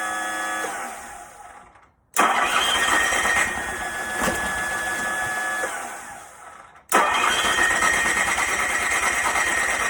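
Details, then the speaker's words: Onan 2.8K generator on a standalone battery, fuel fed straight into the electric fuel pump, choked, starting fluid used, 110 psi compression, valves moving: two bursts of steady starter churning with no catch. It cranks but won't run. "so as you can see it cranks it tries to turn on but it really doesn't run at all"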